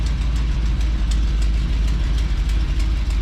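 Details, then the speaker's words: 1987 Class A Coachmen motorhome V8 at idle after sitting all summer: deep rumble with faint quick puffing tick about three times a second from a leaking exhaust manifold on one side; new manifolds bought. "so yeah one of those exhaust manifolds leaks I got Brown new ones for it"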